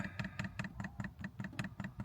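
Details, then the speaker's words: 5 kW Chinese diesel heater newly installed in a VW Caddy camper, powered from a Jackery 1000 v2 DC outlet that proved insufficient: rapid regular ticking, about five per second, with a hollow clack as the dosing pump pushes diesel through an air-filled line. "There you go, you can just see the diesel coming through now. It's just pumping itself through, I believe. Got a lot of air in it."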